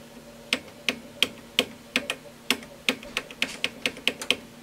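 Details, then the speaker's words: Advantest R6581T 8.5-digit multimeter in DC volts auto-ranging: sharp, uneven relay clicks as it hunts ranges and shows a false overload. Fixed by replacing the battery and doing an internal calibration. "there we go that clicking trying to Auto arrange and it can't do it so that's the other problem"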